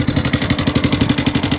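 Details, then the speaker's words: Yamaha Sniper 150 at a quick steady idle: harsh metallic clatter on every firing pulse, far louder than normal, serious internal engine noise that several shops failed to trace; source unknown. "Ayan sobrang ingay niyan"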